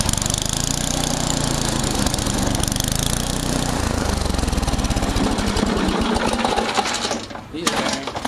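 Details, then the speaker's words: Craftsman 824 snowblower with 8 hp Tecumseh engine running steadily with a rough rattling clatter over it; worn auger bearing, needs replacing. "yeah it's definitely going to need an auger bearing on that one"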